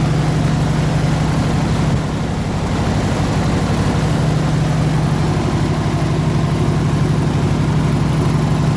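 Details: 302 V8 air-compressor engine, warm at 160 degrees with 9 psi fuel pressure, on re-ended plug wires: steady, even rumble at constant idle with no misses, knocks or ticks; running smooth and healthy.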